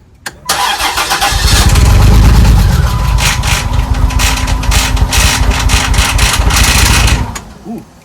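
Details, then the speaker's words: 2001 Chrysler Prowler, first start after sitting three years: engine cranks and catches, then runs with a fast uneven clatter roughly three per second over the idle; owner suspects a chain or something jumping; check engine light on. "That doesn't sound good. Sounds like a chain or something jumping."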